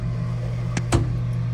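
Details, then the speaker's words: Vintage analog photobooth, freshly unloaded and not yet aligned: steady motor hum then sharp double clunk as the arm drops into its sleeve; transmission misaligned, needs its three bolts adjusted for height and vertical so it enters silently. "That clunking you hear when this goes into this sleeve, you don't want that. You want that to go in silently so it doesn't bang on it too hard."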